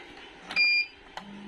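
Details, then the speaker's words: V-Guard Jadoo 1050 inverter on the bench: two short beeps then a steady low hum with no output; humming suggests a gate driver fault, to be checked with diode-mode meter readings. "देखि back आके humming sound कर रहा है ठीक है humming न आ रहा है तो मतलब गेट में कुछ प्रॉब्लम होगा"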